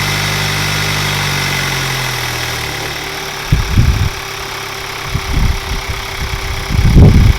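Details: 2021 Hyundai Sonata N Line turbo engine after DIY Sxth Element turbo inlet install; even, steady low hum settling after start into a smooth idle with no knock or miss, a few thumps overlaid: normal idle.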